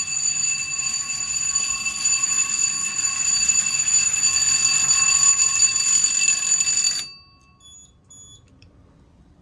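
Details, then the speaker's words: Basic, coded fire alarm panel with pull stations on Zone 1 set as supervisory and key switches on Zone 2 as fire. Pulling a station sounds a rapid continuous trouble bell for about seven seconds, then it stops; the trouble bell works normally. "So, gonna pull it. And then you can hear the trouble bell going off."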